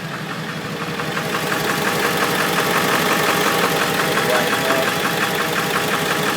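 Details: Ford 7.3L Power Stroke diesel at idle after a moderately cold start: a sharp, regular tapping of about three knocks a second, from the passenger-side valve cover area, sometimes louder or absent. Owner suspects a bad injector, unconfirmed.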